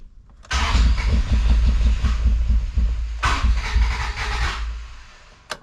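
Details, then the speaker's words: Honda Civic cranking at about three to four even beats a second without catching, not getting fuel after a cap and rotor job; no power to the fuel pump due to a missing ECU. "No, it's not getting fuel. I don't think that's cap and rotor because it's cranking."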